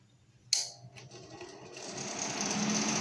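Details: Rakitan BELL BGR Sanken 3000 W power amplifier after replacing blown 47000 µF caps with eight 15000 µF 100 V Bombardir caps: a click then a smooth airy rush building steadily; cooling fan spins up fine.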